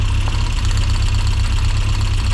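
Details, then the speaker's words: Rover Mini Cooper S Sport 5, 106,000+ miles, after replacing fuel injectors for rough idle: deep lumpy idle with uneven stumble as number 3 plug lead is pulled, clear RPM drop; misfire from the dead cylinder. "Number 3, you can hear it misfiring now."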